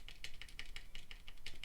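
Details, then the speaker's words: ZSA Moonlander big thumb keys after the stabilizer mod, very rattly out of the box: short bright clicks with a faint rattle on return and a decent return; slight rattle remains, better than before. "a tiny bit rattly still, it's still got a decent return on it. But both of them, I'm sort of pleased that that's better than they were, because they were very rattly out the box."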